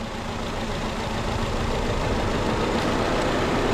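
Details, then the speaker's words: Idle stumbles unevenly with a hitch about every quarter second when cylinder three's coil is unplugged. The coil packs were swapped between cylinders three and four to check whether the misfire follows the coil. "I'm going to go ahead and pop off number three to see if the engine makes any changes and it does it misfires"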